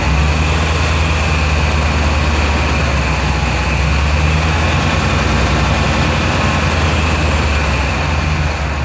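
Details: 2000 Chevy Tahoe LT 5.7L after distributor timing adjustment (cam retard at zero, raised above 1000 rpm), previously crank no-start from distributor with shaved gears: steady even hum, no misfire, knock or hunting; healthy.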